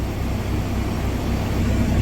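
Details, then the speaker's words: 2021 Kenworth T680 diesel at idle after oil pan replacement: deep, steady, even rumble with no knocks or rattles, oil pressure 40 PSI, no check engine lights; sounds healthy. "Let's let that run for a little bit. Oil pressure right now up to 40 PSI. That's not too bad."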